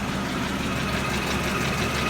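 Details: Mercedes W210 with M112 petrol engine, fast light ticking at idle, heard through the whole engine but most clearly from below on the left exhaust manifold; owner suspects the exhaust manifold, cause not confirmed.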